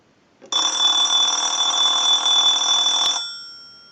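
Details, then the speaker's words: Repaired clear Trimline telephone held up during analyzer ring cycle after bell adjustment: clean steady electric bell rings about two and a half seconds then fades; crisp, healthy ringer. "so we're just going to go ahead and hold the telephone up so that you can hear the ring cycle properly"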